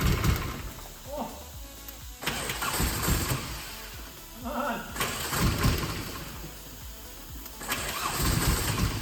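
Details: 65k-mile VW Corrado G60, fuel return blocked off and a machine hooked up for the first start attempt: starter churns in several long bursts with brief pauses, engine tries to catch but never runs on its own; extended cranking, no start.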